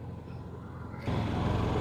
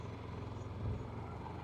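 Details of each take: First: Honda EU7000iS (fuel-injected, 389 cc) and Yamaha EF6300iSE (carbureted) generators, 32 oz of gas each, pulling a 1000 W load at about 40 minutes: low, even engine drone holds steady with no hunting or surging; normal running under load. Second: Yamaha EF6300iSED carbureted generator with 1000 W load on 32 oz of fuel after draining: steady low drone swells then settles, surging at 45 minutes as the carburetor runs out of fuel; shuts off at 46:45.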